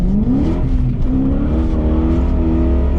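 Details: BMW E34 540i M60B40 V8 after fixing a throttle body gasket vacuum leak behind limp mode and O2 codes: pulls up cleanly through the revs with an even, steady exhaust note and no misses; healthy engine.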